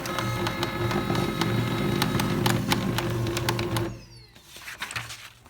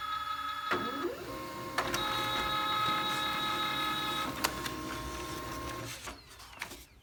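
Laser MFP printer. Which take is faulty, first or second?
first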